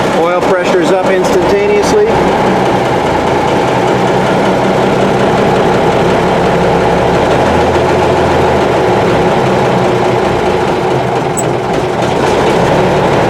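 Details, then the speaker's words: M925A1 army truck diesel with a rebuilt engine, first start after sitting 7 months: a few cranks, quick catch, deep steady idle without knocks or smoke; air in fuel lines suspected; normal cold start. "That wasn't bad at all. I mean, this thing hasn't been run for 7 months."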